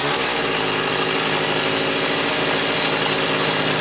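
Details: Homelite Super 2 SL chainsaw with chain brake, carburetor previously gummed by caramelized fuel. Test run: a steady, high-pitched two-stroke buzz at even speed with no misses or surging, running cleanly.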